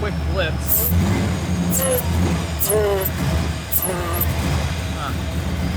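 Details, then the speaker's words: 2002 Ford SVT Lightning on first start after frame-up rebuild, deep uneven loping idle like a big-cam motor; cause of the choppiness unclear, alternator also not charging. "it's weird i know it sounds cool but they look like factory fans it shouldn't really sound that lopey seems to be running good under the hood though it just got a little chopped to it"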